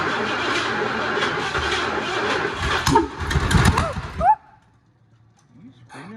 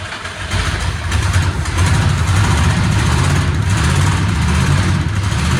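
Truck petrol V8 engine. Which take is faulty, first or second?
first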